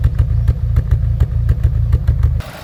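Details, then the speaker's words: Ford Fiesta ST150 with engine management light on: deep, lumpy, rough idle with uneven thumps, probably running on three cylinders. "Um, it has chucks up the engine management light. Obviously, it's running really rough, running on three probably."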